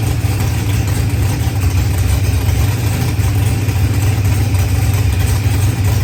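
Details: Procharged LS V8 with 12-1 crank trigger, running after start troubles were fixed; deep, steady idle with even low rumble, no misses, knocks or rattles; normal idle.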